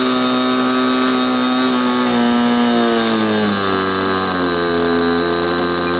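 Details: Model glow engine on a restrained SIG Kadet LT-40 RC aircraft during break-in: high buzz sagging and dropping pitch in steps, uneven and labouring; mixture too rich.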